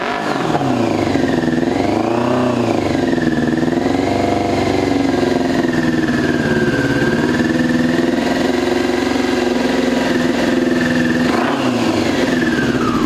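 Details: 2002 Yamaha YZF R6, 6 years sitting, restarted after fuel-leak cleanup: revs up and settles with an uneven, lumpy beat that never smooths, one cylinder seemingly dead. Owner suspects a gummed carburetor or fouled plug; unconfirmed.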